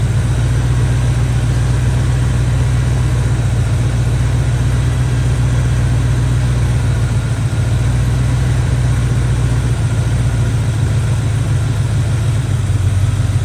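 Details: Barn-find Chevy square body truck with a 350 V8 and automatic, after a tune-up and timing work: a deep, even idle held steady with no stumble, miss or ticking. Running decent.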